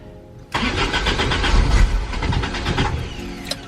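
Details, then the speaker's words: 1986 Toyota AE86, repeatedly hard to start, new warranty starter, about fifth crank: cranks about four beats a second with uneven puffs as if catching but never picks up; cranks but no start. "so I think this is our fourth crank so far and we finally got a little something hopefully fifth is a charm"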